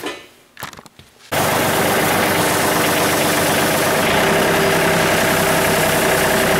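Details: Tractor-mounted branch sweeper after jam nut adjustment, test run: steady even sweeping roar with no grinding, crunching or chain noise; running normally.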